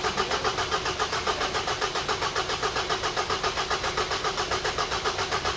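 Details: Engine idles evenly and steadily at about three to four beats a second with no rattle standing out, after timing cover work and refilling oil once the sealant cured overnight; the car had come in for a customer-reported engine rattle.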